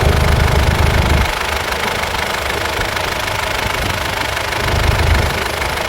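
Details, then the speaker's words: Mitsubishi Pajero 4M41 3.2L diesel, first start after cylinder head/top overhaul (fuel bled at heater plugs, new oil): even diesel clatter at idle, louder first second then settling with slight swell; runs steady and healthy, normal idle. "So engine on. First start natin. Engine on. Start. Ayan, okay na yan."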